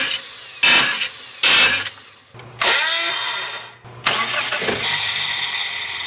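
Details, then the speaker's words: Car no-start, starter heard from under the hood: short harsh screeching grinds on two start attempts, then cranking and firing. The Bendix starter gear is not meshing with the flywheel teeth, possibly from damaged teeth on the gear or flywheel. "Now the next sound you may hear when trying to start your car is a grinding sound or a screeching noise, or even some people describe it as like a zinging sound."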